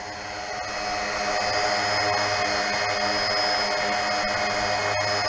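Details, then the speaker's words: Bayangtoys X16 brushless RC quadcopter: thin steady whine climbs then holds smooth and even as the brushless motors spin up; normal motor spin-up. "starting the motors nice sounds mean yep sounds like the old brushless"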